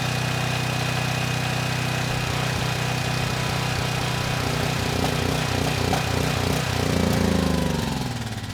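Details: Troy-Bilt 6000 W generator, bought with a running engine but no power output, after repair: steady, even engine drone with no misses or surging while holding 240 V at the 240 outlet under a 3000 W load for 15 minutes; runs healthy.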